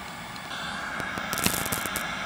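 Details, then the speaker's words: 1974 GE/Packard Bell portable hybrid colour TV (1C620wl) running at 200 mA with no picture or sound: irregular sharp crackles and snaps over a faint hiss as a tube arcs on a humid day. "right on 200 milliamps you can hear that tube arcing it's humid today"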